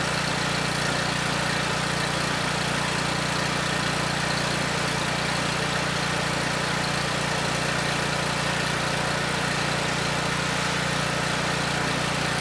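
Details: Husky HU5000 5000 W generator, Robin Subaru EX30 9 hp engine, first run after carb cleaning, no load: steady, even drone at constant pitch. Labeled no-load overspeed, though output measured 116 V and speed slightly low; governor to be set near 61.5 Hz.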